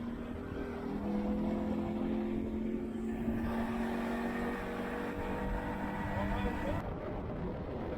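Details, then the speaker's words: Yamaha 115 outboard on the water after a blown head gasket was replaced (it had bogged when throttling up): a steady, even drone with clean constant pitch and no knocking or misfire. Normal, healthy running. "Sounds much better."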